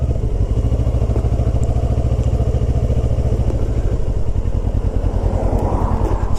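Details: 2008 Kawasaki ER6f (Ninja 650) twin around 2000 rpm: low throb with light buzzy rattle where fairing corner touches the instrument surround, a known fault; Sugru at contact points mostly fixes it.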